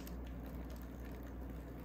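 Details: Old Canadian Pacific F-unit model train locomotive that only buzzed until its flywheel was turned by hand: it now gives a low, even motor hum with no catching, stalling or surging, and runs smoothly.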